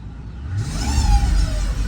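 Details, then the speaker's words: 2005 Mercedes CL600 V12 twin turbo, parked and revved, with transmission fault codes, limp-mode history and lacking power: a thin rising whine above the rumble tracks engine speed; cause unknown, transmission suspected. "Something ain't right. Something ain't right. Okay, so I have it parked and when you hit this gas, listen to it."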